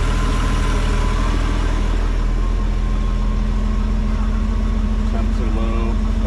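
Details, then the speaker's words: 1992 Bayliner boat V6 on a water hose, starts quickly, oil pressure almost 70 psi, RPM gauge likely not working: deep steady burble, even, no misfire, knock or surging; normal idle. "Start it up. Starts up quick. Runs real good. Sounds real good."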